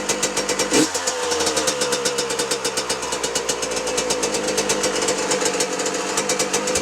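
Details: 2006 Yamaha YZ125 two-stroke, start after full engine rebuild with two-year-old fuel: kicks over, catches and settles into crisp, even crackle with no misses; healthy running, some smoke from old fuel.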